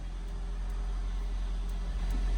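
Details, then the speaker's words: 1990 Toyota MR2 revived after sitting for a long time, first start after being brought back, no rev counter: steady, even low idle with a smooth, unbroken note and no misfire or stumble; alternator charging, engine runs healthy. ">> Sounds good. I know there's no rev counter, but it's charging and it runs."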